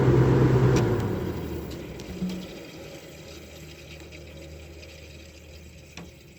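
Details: 1962 General Electric Lo Thinline air conditioner just after shutdown, with its coils still dirty: the compressor hum cuts off, then a soft gurgling hiss fades as the refrigerant settles; normal.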